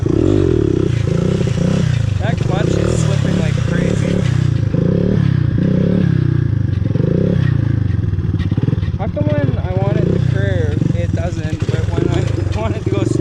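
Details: 1983 Honda ATC 200x three-wheeler bought at auction, ridden at full throttle on trails: engine held at high, flat revs with steady buzzing drone that never builds into harder pull; clutch slipping.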